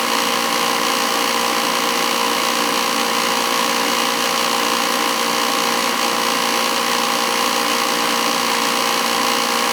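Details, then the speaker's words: Old oil-fired boiler burner running during service with high limit 190: loud constant roar with steady hum and hiss, no surging; noisier than it should be; the air shutter is suspected as the noise source and is to be removed. "I'll show you what it looks like when I get it out noisy it's always an issue with those things"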